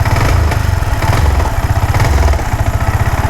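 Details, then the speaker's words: Yamaha R15 V4 at low idle: low thumping, uneven stumbling beats with dropped pulses; idles at low speed but cuts out and stalls at high rpm, weak spark, misfire traced to a dirty ignition pickup coil. "ഇതാണ് ഇതിന്റെ complaint എന്ന് പറയുന്നത്. ഇത്തരത്തിൽ slow speed correct ആയിട്ട് നിൽക്കും. പക്ഷേ high RPL ആണെന്നുണ്ടെങ്കിൽ വണ്ടി ഓട്ടോമാറ്റി കട്ടായി കട്ടായി പോകും ഓഫായി"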